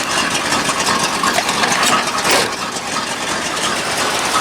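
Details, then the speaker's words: Old V8 dump truck converted from TBI to carburetor, with new plugs and wires and about 50 psi oil pressure, briefly warming up: busy, fairly even idle with some top-end clatter but no misses or hunting; runs fine. "got new plugs new wires sounds pretty good it sounds like it's gaming a little bit actually sounds good"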